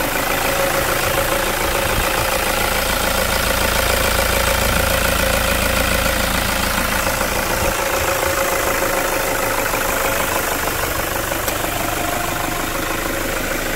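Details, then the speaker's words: 2010 Toyota SW4 3.0 diesel, 187,000 km, after post-purchase service and decarbonization: steady, even diesel clatter at idle with no misses or uneven beats; healthy idle. "é um coral de anjos não é mesmo"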